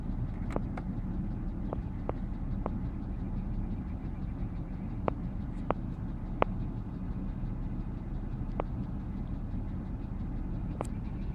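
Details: Car idling on a chilly morning for about 15–20 minutes: loud, irregular sharp ticks or knocks over a quiet rumble, audible from about 6 feet away. The oil level shows no drop. Engine ticking at cold idle, cause unknown.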